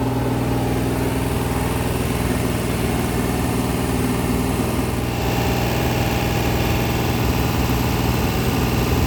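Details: Freshly rebuilt 426 Hemi crate V8 (new heads, intake, pistons) on a run stand during flat-tappet cam break-in at 2400–2500 rpm, 32 degrees timing, 150°: steady, unbroken high-idle drone, no ticking or knocking; healthy break-in.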